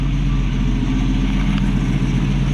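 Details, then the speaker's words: 1965 Mustang straight-six after carb choke adjustments and heat riser tube reconnected; won't stall on throttle blips; smooth even idle with a steady low beat, no stumble or miss, timing good and choke working properly; normal idle. "good idle the timing's good the choke looks like it's working properly now"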